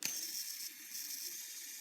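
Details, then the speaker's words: Novarossi 28-8 nitro engine clutch bearings spun by hand on the bench: hissing, howling whirr cutting in and out, louder with a hard flick, showing worn bearings. "but I just want to show you how bad these bearings sound here that bearing howling that lower rpms you don't hear it as much"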